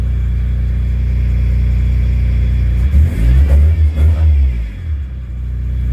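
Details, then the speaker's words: Car after replacing a bad fuel pump: steady idle, then several quick throttle blips that rise crisply and settle without stumbling; previously it wanted to die on throttle, now it revs right up. "every time i hit the gas it used to want to die this time it just rubs right"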